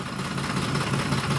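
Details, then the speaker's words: Warm 2004 Ford F-150 with aftermarket cam phasers, idling roughly with the truck shaking and the check engine light flashing. A busy valvetrain ticking rattle is heard on both sides; cam phasers are suspected. "shaking like I leave now and you can hopefully hear valvetrain noises I can hear it actually on I think on both sides check engine light flashing"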